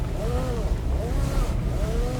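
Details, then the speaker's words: 2018 Nissan X-Trail T32 with 59,000 km, three years old: faint rubbing squeaks rise and fall as the steering wheel is turned over a low cabin rumble. The squeak returned after earlier lubrication and is to be fixed at the dealer. "в общем сейчас попробую скрипом показать вам слышите да звук руля"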